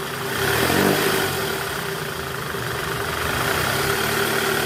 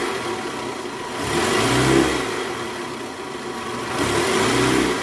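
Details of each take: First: 2008 Toyota Camry 2.4 V, 2AZ-FE engine, in reverse at about 1200 rpm: steady rough growl with faint hum from the belt tensioner whose spring is weak, letting it flutter; also occurs under load; fixed by replacing tensioner. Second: 2008 Toyota Camry 2.4 V, 2AZ-FE engine, after replacing the weak-springed tensioner: in reverse, revved around 1200 rpm, blipping up and down smoothly with no growl or rumble under load; normal running after repair.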